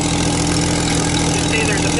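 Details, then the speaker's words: Jeep Wrangler TJ 4.0 six-cylinder at idle, heard from underneath: loud raw roar with harsh hiss over the rumble, exhaust escaping through a big crack in the exhaust manifold; gasket apparently replaced before; manifold replaced as the fix. "Lord have mercy. Oh yeah, there's the crack."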